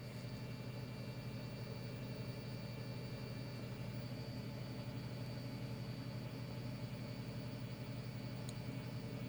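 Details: Tata Altroz naturally aspirated petrol engine at idle, heard from inside the cabin in a comparison with an i20 petrol: a steady, low, smooth hum with no knocks or ticks. Normal idle.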